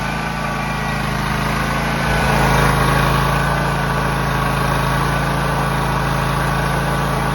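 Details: John Deere X304 lawn mower after freeing stuck carburetor fuel shutoff valve, carb not fully cleaned, sat about two years: small single-cylinder firing evenly about 230 beats a minute, rising smoothly once, no misses; normal running.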